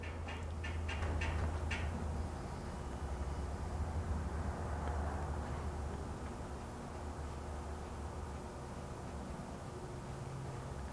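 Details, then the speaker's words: 1920s Century Electric repulsion-start induction motor, an identical working unit: a few light clicks, then a steady low hum that runs evenly; normal startup for comparison. "That startup you just heard was another motor exactly like this one. That's the sound we hope to get from this one."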